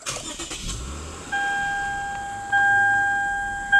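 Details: 2008 Lexus IS 250 at about 77,400 miles, water pump previously replaced, push-button start: short crank, engine catches and settles into a steady even idle with faint chimes; healthy start.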